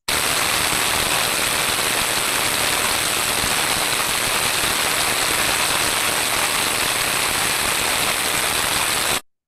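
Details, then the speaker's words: Ultrasound probe on the drive-end bearing of an electric motor: coarse, uneven hiss instead of a smooth, steady rush; the bearing is running rough. "avem un sunet neuniform o caracterizat de o sonoritate grosieră"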